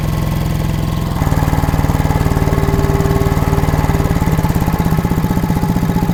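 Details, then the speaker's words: Old air compressor engine on a new electronic distributor, at 60 lb of air and building slowly: lumpy, labouring firing slows until it stalls. The timing needs further distributor adjustment by sound, to be fine-tuned later with a timing light. "All right, I stalled it out. Um, I need a little more adjustment on this this rotor here."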